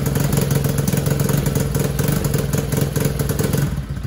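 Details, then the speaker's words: TAO 110cc ATV, original engine, jump-started: chugs at steady idle, never revs up, flat weak note, won't throttle up or pull; low compression of about 50 psi, engine to be replaced. "It just ain't got enough poop in the shorts because it only has 50 pounds of compression."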